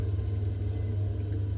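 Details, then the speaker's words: Baxi boiler after fixing a broken switch that caused lukewarm hot water: burner modulating down as temperature stabilizes at 60–70°C, steady low even roar with no surging or popping; fixed, some air still in pump. "just modulating down now that's nice and hot don't know if you can hear it on the camera but I can hear the flame modulating"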